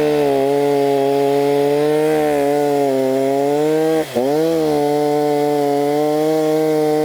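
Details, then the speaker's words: Stihl MS290 chainsaw test-cutting after repair with a new Oregon bar and fresh bar oil: a steady, even high buzz that dips in pitch as the chain bites, then recovers cleanly, running healthy under load; some smoke is expected at first. "it's all good now it will smoke a little bit like this guys after you use it but that will eventually go away"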